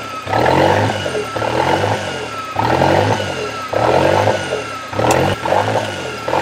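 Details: Toyota 3E-TE engine on startup with a hunting idle, revs rising and sagging between about 1500 and 2500 rpm roughly once a second without settling. The engine seems to get hot, and the cause is unknown.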